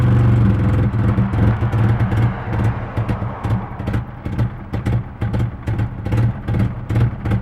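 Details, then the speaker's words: Car with KA engine, in neutral after key cycling for fuel pump, about a minute after starting: low idle hunts, dips and surges, then dies, with strong fuel smell, running rich; owner suspects bad fuel pressure regulator. "like struggling to keep idle and it goes again and it's dead"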